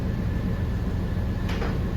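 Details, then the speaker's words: GMC Sierra at idle after its transfer case wiring problem was fixed, shifted from neutral into 4WD low: steady idle hum, then a brief soft clunk as low range engages; normal transfer case engagement. "There's your four-wheel drive. Four-wheel low, you hear it kick in."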